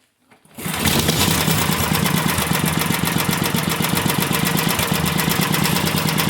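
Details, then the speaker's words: Vintage single-cylinder engine, a free neighbor engine just rebuilt and not run in 30 years, restarted with its choke still unlinked: it catches at once into a fast putter whose beat wavers slightly. It is a little wobbly but acceptable for a single. "a little wobbly but it is a one cylinder can't ask for much better than that right"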